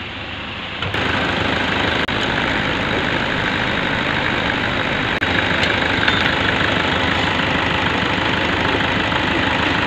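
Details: Vehicle with a battery warning light that wouldn't go out, started and then tested by disconnecting the battery negative: the engine settles into a steady, even idle and keeps running as the battery symbol clears, showing the alternator is charging. Normal idle.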